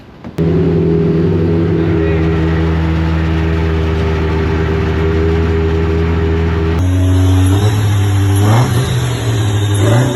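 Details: Deep Orange 9 car freshly rebuilt engine, first run while warming up: steady fairly high drone on the throttle, revs rising and dipping unevenly; won't idle without someone holding the gas, possibly hot/cold engine map, cause unconfirmed.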